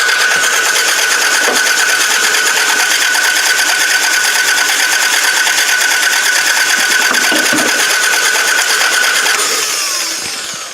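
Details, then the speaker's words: Toyota Camry demolition derby car, jump-started with the fuel line fixed, also tried on quick start: fast, oddly even cranking with no compression rhythm and no firing. Crank no-start caused by a snapped timing belt. "This broken timing belt. You guys want to take a good look at that? Just snapped. It's probably why this guy could not get this car to run."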